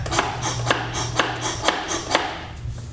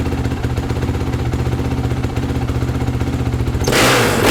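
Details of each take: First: 2008 Honda CRF450R, newly rebuilt engine, rolled by hand after seeming to lock up: sharp metallic tick about twice a second, turns backwards but not forwards; something hitting, suspected in the valve train; noise also heard earlier while running. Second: 2008 Honda CRF450R with new engine, reassembled after the kickstart was skipping teeth (owner suspects internal kickstart gears); single-cylinder thump at idle, several sharp throttle blips rising and falling cleanly, back to steady idle; normal running.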